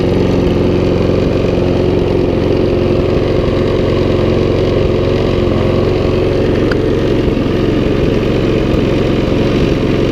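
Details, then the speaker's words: Briggs and Stratton Sovereign mower, non-runner for two years, after fresh oil and cleaned spark plug, running about 15 minutes; steady even mid-pitched drone, no misses or surging, earlier smoke now cleared; normal steady running. "okay so as you can see that's been running now for about 15 minutes or so and it wasn't smoking at all whilst it was running so it's all cleared out now"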